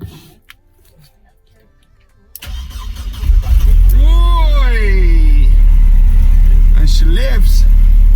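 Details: 2001 Mercedes SLK 170, after fixing a P202C-8 start-error no-crank no-start by fitting a used ECU, DAS module and ignition lock: after quiet the starter cranks briefly, the engine catches and settles into a steady, even idle, a clean start.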